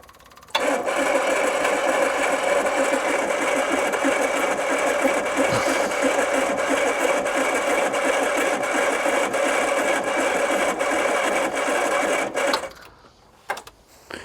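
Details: 1980s turbo hatch, 36,000 miles, unused since 1992, fuel fed from a can through the original regulator: starter cranks evenly about twelve seconds, engine never fires; crank no start despite fuel reaching the carburettor.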